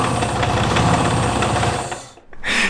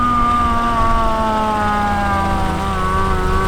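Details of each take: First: Supercharged Miata drift car on first test start with an Amazon supercharger, intake venting to air: uneven, lumpy idle with irregular knocks and stumbles before dying, motor sounds bad. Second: Mazda Miata drift car with a $300 Amazon supercharger, test drive revved to about 5200 RPM: revs climb and fall smoothly with clean supercharger whine rising with engine speed, no knocks or rattles; afterwards the rotors still look decent, a healthy supercharged engine.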